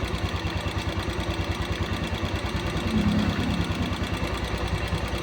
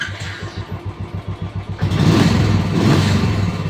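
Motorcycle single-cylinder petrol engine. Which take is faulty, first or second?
first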